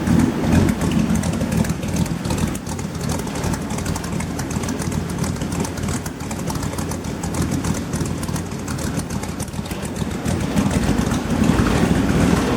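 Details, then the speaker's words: 1938 Pontiac coupe with an LS V8, custom air intake, warming up while checked for leaks: a steady, even low rumble at idle with no knocks or ticks; normal warm-up idle. "Getting stinky in here. I'm just gonna shut her down. Sounds good though."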